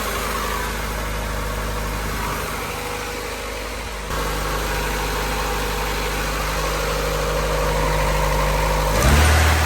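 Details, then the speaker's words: Honda EK hatch, D16Y7 freshly refreshed (head gasket, water pump, timing belt, seals), first start-up in neutral: slightly uneven, hunting idle with a step in speed. Owner first thought exhaust leak, then suspects burning off oil; irregular idle. "That's a weird idle. Oh, there's an exhaust leak for sure. Actually, no. It's probably just burning off oil."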